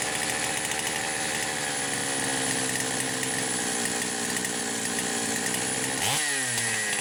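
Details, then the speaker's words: Poulan Pro 525 chainsaw (essentially Pioneer P52), governed carb, carb gaskets repaired: high buzzing steady speed never dropping to slow idle despite idle screw backed fully out; idling far too fast, cause unconfirmed. "I don't have any idea why it is trying to idle too high. I mean, the idle speed screw's backed off as far as it will go."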